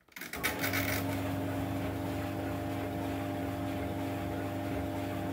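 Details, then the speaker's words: 15-year-old White Knight 37AW tumble dryer after a repair with replacement parts for a long-standing grinding noise. On the first power-on it spins up to a smooth, steady, low hum with no grinding or scraping. The belt is almost lined up. "well i'll put the little video i did of the noise it makes or was making in with this one so you can hear the difference but that is a lot different and the belt's almost lined up"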